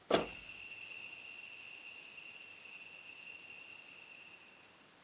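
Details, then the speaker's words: Subaru Impreza alternator, hand-spun bearing before replacement: light whir that keeps coasting too long; owner suspects it is out of grease, dry bearing. "shouldn't keep running around that long should it the grease should slow it down it must be must be out of Grease"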